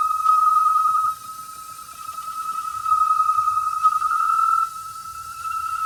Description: It was because the pipe was too small. We got a thicker pipe and the noise stopped.